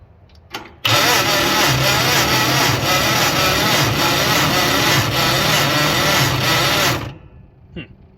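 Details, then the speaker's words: International Harvester 4130 skid steer under rebuild, briefly fired before: about six seconds of even starter churning, never catching; cranks but won't fire. "strange it's not firing now"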